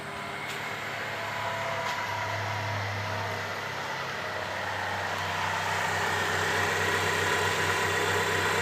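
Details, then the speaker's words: Hyundai Trajet after replacing the power steering pump bearing; even, steady idle with a smooth hum and no whine or bearing growl from the pump. The noise is gone and the idle is normal. "jos Alhamdulillah teman-teman karena bunyi yang berisik di pompa booster ini sudah hilang"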